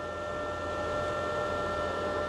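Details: Izumi MIG 130 welder, flux-core wire loaded, torch trigger pressed: wire feed motor running with a steady quiet hum and a few fixed tones around 1–2 kHz, even and unbroken; normal.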